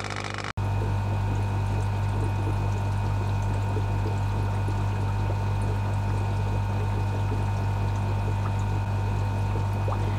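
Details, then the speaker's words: New linear air pump supplying a fish room central air system, release valve fitted to limit back pressure: low, steady mains hum with soft airy hiss, no rattle or buzzing; powerful yet much quieter, healthy. "but yeah plenty of power not as much noise very happy chappy let's see how low that is actually"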